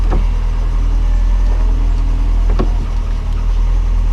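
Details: 1989 Lotus Esprit passenger power window, engine idling: even motor hum as the glass travels up in about 3 seconds, no grinding, binding or clicks; window runs normally, matching the driver side.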